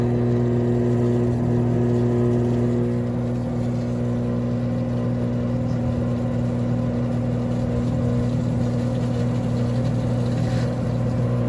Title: 21355 - Leak in seal caused bad bearings / loudness during spin.